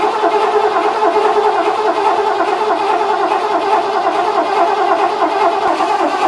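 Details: 1986 Ford F-150, ignition off, cranked after an overnight battery charge during a carburetor swap to build fuel pressure; steady starter whir with an even compression beat and no firing, normal cranking.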